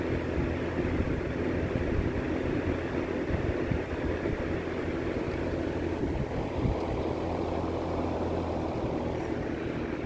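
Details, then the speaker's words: Late-1950s Sears Homart 20" box fan, model 480-9360-6, universal motor, Venturi shroud, at medium speed after motor bearings cleaned and oiled. Soft, steady airy hum, no rubbing; formerly an awful humming, grinding buzz, now much quieter. "and that is much quieter than it was before before it just made like an awful like humming almost grinding buzzing sound I'm very very happy how that turned out"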